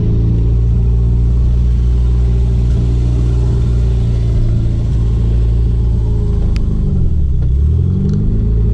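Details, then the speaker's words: Chrysler Conquest after fixing an erratic RPM signal from its APEXi SAFC: deep, even pull under acceleration with no stumbling or surging as revs rise, running smoothly. "yeah that sounds a little happier"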